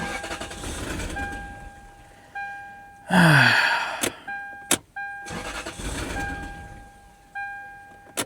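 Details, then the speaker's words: 1996/97 Lexus LS400 parked about 10 years, after spraying into the intake tube: two long bursts of starter cranking, engine never catches; cranks but won't start, seeming worse. "Uh I mean, it didn't sound like it was doing. I I don't I don't think so. I'm trying. It kind of seems worse now."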